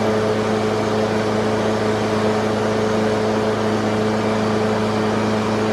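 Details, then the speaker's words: Husqvarna HU600L mower with a Kohler XT149 that started and died, after sanding a gasket surface flat and fitting a thicker gasket: a smooth, steady single-cylinder drone with no surging or dying; normal running. "that's perfect that's how it"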